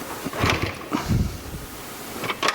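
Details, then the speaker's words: Honda XR75 after head and timing chain rebuild, good compression, spark, fuel only in carb bowl: uneven kick-start thumps and clatter, no firing; engine cranks but won't start. "so i got it all together and um just basically put all everything back together and uh tried to start it up and kicked it and kicked and kicked and kicked and kicked and it just wouldn't go"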